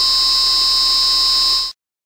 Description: The example is better than hundreds of words. Now you can hear the signal with VDF noise.